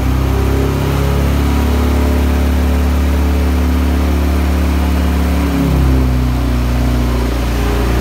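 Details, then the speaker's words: Engine in the Honda EG hatch project, from a flipped-over Integra. Running after the oil pressure sensor swap: smooth note rises with a light rev and settles to an even idle, no knock or tapping. It runs healthy; the oil leak persists and a head gasket is suspected. "so I didn't know if it was knocking or had a spun bearing or something was messed up inside that I didn't know so but I know now it runs good it runs healthy"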